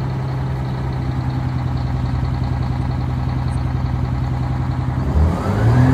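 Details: 1989 Crown Super Coach diesel school bus, after mechanic repairs: steady even drone, then speed climbs by itself with no throttle, diesel runaway from oil accumulated in the air box; stopped by pushing the kill lever.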